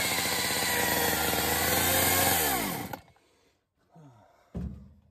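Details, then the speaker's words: Homelite Super XL-923 82cc chainsaw test fire: saw screams at high revs with a thin whine over the engine, then winds down and dies; worn, shot clutch. "I'm surprised it started. But, you know, clutch is shot. Yeah, go ahead. So the clutch is shot. Did you see that? Did you hear it whining?"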